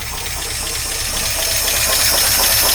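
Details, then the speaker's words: 1953 Oldsmobile Rocket Super 88 barn-find V8 warming after start, carb that dislikes any rpm increase and randomly dies; a low, uneven pulsing idle under heavy hiss, wavering as it warms; rough idle, timing not yet checked, cause unconfirmed. "it warm up a little bit see what that does pretty crappy I may wish to put the idol of just a pad let's see where we're at"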